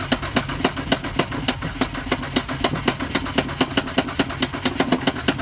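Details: 2012 Honda Odyssey won't start: even, sharp clicking about four times a second while it turns over, engine never catches; cranks but no start.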